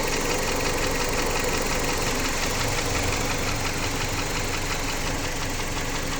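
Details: Jeep Patriot 2.4 engine at idle with a fairly regular knock, roughly three per second, riding over the engine note; owner asks what it could be, source unknown.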